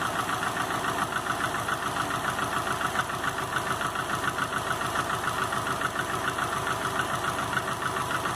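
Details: 2005 Subaru Legacy GT with rebuilt refurbished block (new crankshaft, bearings, used rods/pistons, used heads with new valve seals, used VF40 turbo), warmed-up idle at 22 psi oil pressure: regular light knock about three and a half per second over idle; cause not found.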